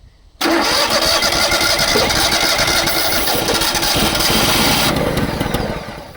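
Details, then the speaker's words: Small engine on crane trailer parked many years, gravity-feed fuel, fuel pump not working, run on starting fluid: ragged, uneven roar about five seconds then sags and dies; fuel starvation, not picking up fuel. "We are definitely in in the fuel here. Yeah, we're definitely in the fuel. It just won't pick it up."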